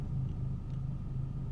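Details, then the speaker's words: Opel/Vauxhall with a P0335 crank no-start, right after fitting a new genuine Bosch crankshaft sensor: engine now starts but idles lumpy, a low rumble with an uneven, wavering pulse. No-start fixed; rough idle cause not yet investigated. "yeah it's up and running that's what i was called out for was to get it up and running it is running lumpy"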